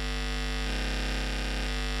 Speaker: you should hear it 50 hertz noise and it's impossible to use turntable with this distance